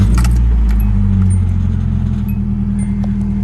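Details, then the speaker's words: Nissan 240SX, warm after a drive, after a new timing chain kit: even idle with no misfire, light metallic rattle from the rear muffler, which owner thinks is partly blown out; normal idle with exhaust rattle. "You're gonna hear my exhaust rattling in the back. I think I blew part of my muffler out, so it's like rattling around in there, which is totally fine, but you're gonna hear that."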